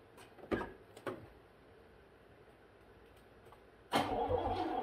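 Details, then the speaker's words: 1981 Pontiac Bonneville Safari V8, sat about 20 years, after a full tune-up and new vacuum lines: a few clicks, then it catches quickly into a firm idle; normal start. "first oh man sounds like a big block foreign let's do this"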